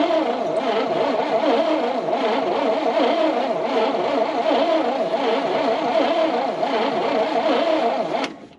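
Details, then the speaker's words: 1970 International Harvester 1200D 4x4 pickup, long-sitting, first crank after confirming not seized, fuel poured into Holley carburetor: steady cranking about eight seconds, faint sputter, never catches; cranks no start, insufficient fuel suspected. "the great news is this is not seized it actually turns over and that means we're going to throw some gas in it and see what happens"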